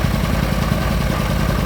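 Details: Argo ATV running with a new fuel pump, air cleaner not yet refitted: even, quick low idle thrum with steady pulses and no misses or knocks. Normal idle.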